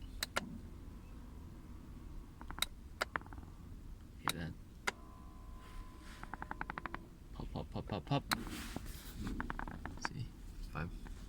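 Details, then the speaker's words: 2017 Toyota Kluger/Highlander driver's seat, already fitted with a replacement seat back, sharp pops and creaks as weight shifts or lumbar/bolster is adjusted, as when driving and accelerating; seat creaking and popping. "This happens when you're driving around and moving your weight around, accelerating and things like that."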